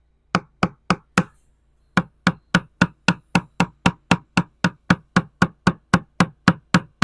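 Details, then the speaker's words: Deck of a 1969 Iroquois Mk2 with 55-year-old original balsa core, tapped with a screwdriver handle; sharp taps with a dull hollow ring, indicating a dry delaminated core with air between core and fiberglass skin. "but if it's dry and it's delaminated it'll sound hollow because there's going to be air in between the laminate and this outer skin of fiberglass"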